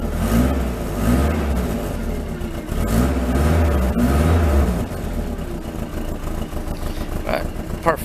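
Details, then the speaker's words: Rover P6 running a little lumpy: revs rise and fall with a rough, raspy blare and crackling pops. The exhaust system is blowing and needs replacing. "I'm gonna go all this crackling banging around everywhere and I said the exhaust needs really doing I mean waiting the door you can hear like exhaust system it just sounds horrible"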